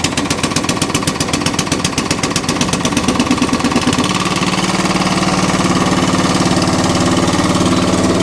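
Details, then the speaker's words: ATCO Balmoral cylinder lawn mower after throttle cable and carburettor fix, started on choke with a small fuel leak: steady idle then smooth pick-up to fuller throttle with no misses or knocks; normal running. "Lovely. So the cylinder works. They're idle."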